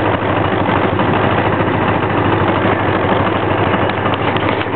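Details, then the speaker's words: 1984 Honda Magna V65 with a hard-starting problem, cold and idling on a little over half choke: a steady, slightly lumpy idle without dying. The cause is undiagnosed. "I don't know, it's about halfway up on the choke, a little over halfway on the choke. Seems to be idling okay."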